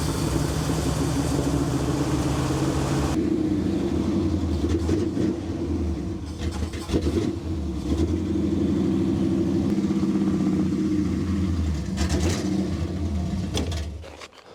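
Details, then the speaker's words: 1974 Chevrolet C10 carbureted engine, manually choked with no choke cable, brown gas in the fuel filter: surging revs rise and sag and won't settle to an idle. Owner recalls it always needing revving; suspected bad vacuum leak. "so that's what I seem to remember about this thing having to rev it to the moon and play with the foot feed all the time because I think there's a vacuum leak a real bad one"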